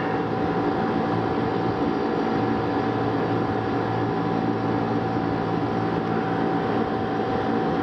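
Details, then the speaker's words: Rooftop packaged AC unit, no-cooling call, after resetting tripped low-voltage transformer breaker (control circuit only 20 VAC, later fixed via proper transformer terminal): steady even drone and airflow rush, no cycling or knocking; successful start. "but we had a successful start"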